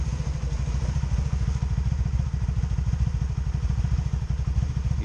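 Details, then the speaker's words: 2002 Honda Magna VF750C V4 at idle: uneven, lumpy beat with popcorn-like popping, misfiring on one side; plug gaps already set to spec. "hear it missing hear it a little popcorn popping popping on that side"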